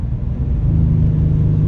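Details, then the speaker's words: BMW 535i engine running: steady low rumble with faint rapid tapping underneath; owner suspects camshaft mispositioning and engine knocking, unconfirmed. "jeez I think we have engine knocking I'm not kidding oh that's engine knocking"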